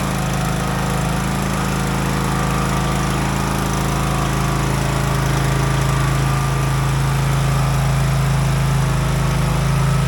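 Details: Craftsman DLT 3000 riding mower, about 2010-2015, after engine repair and reassembly; an even, steady single-cylinder drone with no knocks, rattles or hunting while moving through the gears, healthy.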